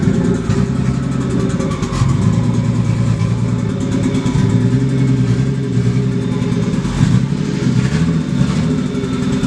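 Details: Barra-swapped Mustang drift car at idle, air-fuel ratios pegged lean above 17: starts but lumps and stumbles with a loping, uneven beat instead of a smooth hum; running very rough.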